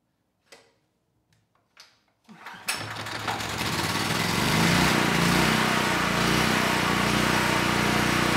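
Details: Honeywell 7500E generator bought as parts-only, after carburetor work and fitting the missing air filter: a few clicks, then it starts on the first pull and settles into a steady, even run, so the carburetor is judged good.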